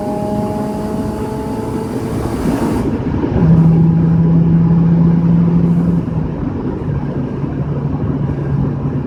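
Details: Audi A4 B5 1.8T turbo petrol engine revving and settling, with a raspy, uneven puffing edge from an exhaust leak; failed.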